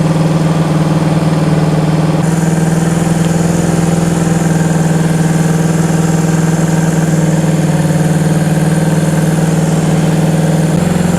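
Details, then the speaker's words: 1974 Honda CB360 twin at a raised idle while ignition timing is set with a timing light on cylinder one, which reads a little late. Moving the points plate makes it run rough until the other side is adjusted. Uneven, loping beat with shifting tone. "There we go. I'm moving the plate. It's going to make it sound bad till I get the other side adjusted also."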